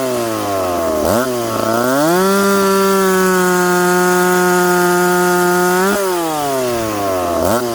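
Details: McCulloch Pro Mac 850 chainsaw cutting oak after chain sharpened and rakers set, on a well-worn bar: crisp scream drops and steadies under load as the chain bites, then climbs back free; clean, strong, normal cutting.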